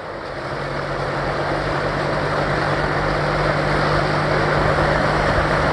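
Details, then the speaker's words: Engine driving a propeller through belts, freshly tuned, run above idle from about 1200 toward about 2000 rpm: steady smooth drone with a whooshing prop, no vibration, mostly prop-tip noise; normal run-up. "anything over about 1200 rpm and it goes out of idle it's just super smooth there's no vibration and there's no hardly any engine noise at all it's mainly just pop noise sort of from the crop tips"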